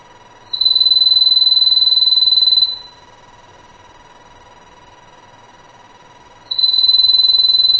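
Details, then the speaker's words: Hart telephone after repair, hook switch screw refitted, plugged in with dial tone, redialed and hung up to ring: two crisp bursts of fast even bell ringing, each about two seconds with a quiet gap, the ringer works properly. "And I'll hang up again, and I want to ring the phone. I'll let it ring 2 more times."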